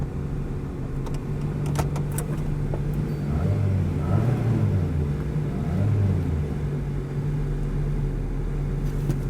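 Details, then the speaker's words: Abandoned C3 Chevy Corvette found at an insurance auction, long-sitting, driving forward and backward: a low, quiet, smooth engine hum with no knocks or ticks; it runs perfect and quiet as a mouse. "it runs great I don't know it's got a spare on the back it runs perfect and it's quiet as a mouse"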